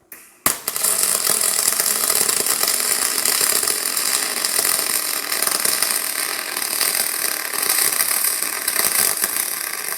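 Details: YesWelder DP200 double pulse MIG welder on 1/8 inch aluminum after dialing in from the out-of-box spray-arc-like setting: steady, even crackling sizzle with no popping or sputtering after the first second; stable, well-tuned arc leaving a stack-of-dimes weld.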